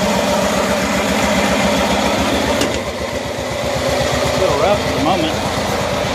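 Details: 1974 Cushman Truckster Haulster small single-cylinder engine, cold start after sitting a while, following a wiring fix and redone exhaust; putters with an even, steady beat and no misses, settling into a regular run; normal running.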